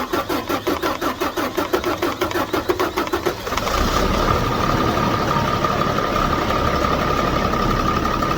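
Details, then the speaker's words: 2007 Ford F650 with 5.9 Cummins diesel after turbo silencer ring removal: starter churns about three beats a second, engine catches, then a steady high turbo whistle rides clearly over the idle. "so I'm gonna crank this up and let you all hear the whistle on here and maybe I won't blow up my engine or nothing"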